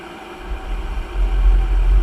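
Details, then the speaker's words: Pentair gas pool heater, water at 67°F, after replacing a failed flue stack sensor: blower hum, then a deep low rumble swells within a second and holds steady as the burner lights like a furnace. Normal ignition. "so it's blowing but it's got to fire up you'll hear it you'll hear it fire up like a like a furnace"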